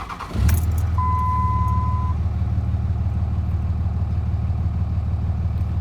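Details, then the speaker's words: 2004 Ram 3500 with the 305hp/555tq common-rail Cummins diesel at 257,000 miles, cold idle: even, steady low rumble with a brief chime, exhaust sounds good, no knocks, misses or bad noises; healthy engine. "it sounds really good to me. The exhaust sounds good. The engine doesn't make any bad noises or anything."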